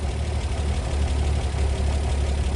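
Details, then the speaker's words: 1939 Chevrolet Master six-cylinder, first start in 48 years after barn storage, carburetor not disassembled. Low, steady idle with an even beat and no misses or knocks. Normal idle. "I just can't believe it's running that good after sitting that long."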